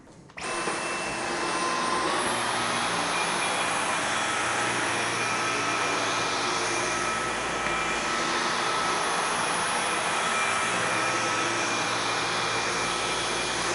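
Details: Dyson V11 cordless stick vacuum on its first full run: a steady high-pitched motor whir at an even tone, no rattles or grinding. It runs normally.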